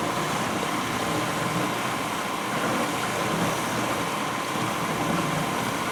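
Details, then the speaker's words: 1991 GE Potscrubber dishwasher on its first wash load with dishes inside: steady, even, forceful rushing hiss of water spray with no knocks or rattles, a normal healthy wash spray. "even with the dishes in there you can just hear how just the force of that water you know it's amazing"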